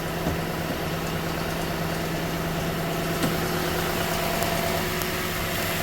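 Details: 2015 Toyota Sequoia V8 warming up in the morning, starting 3-5 minutes after start: steady idle with faint somewhat irregular clicking about three a second; cause unknown, owner asks if timing belt tensioner, dealer could not reproduce.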